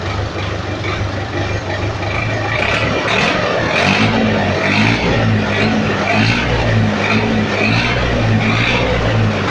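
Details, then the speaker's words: Massey Ferguson 275 diesel tractor with old, blown-out muffler: loud, raw, harsh open exhaust bark swelling as revs rise, before the muffler is replaced. "Trator Master com escapamento velho, silenciador já estourado. Olha o barulho."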